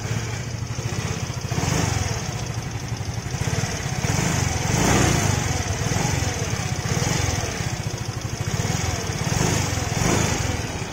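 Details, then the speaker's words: Relatively new Yamaha automatic scooter heard from the left side at idle: quick, sharp ticking keeps pace with the idle and sits clearly over the engine, a fairly loud valve tick traced at the cylinder head to loose valve clearance. "coba dari sebelah kiri ya ini yamahagir ngelitihnya lumayan kenceng ya"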